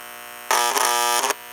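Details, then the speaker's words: Steady electrical buzz from a toy 326 Hudson locomotive's air chime horn speaker on track power, suspected to be from a failing capacitor letting voltage through the voice coil; before replacing the capacitor. "but what I'm going to do now is to replace this capacitor with a new one to see if that will eliminate that buzzing coming through the voice coil because I don't think it did that from the"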